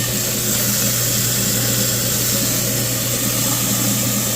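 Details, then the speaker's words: New garbage disposal just installed, after knocking out the dishwasher-connection plug, test run: steady even low hum with smooth hiss, no knocks, rattles or grinding; much better than before; normal running. "How smooth that sounds. A lot better than it was before."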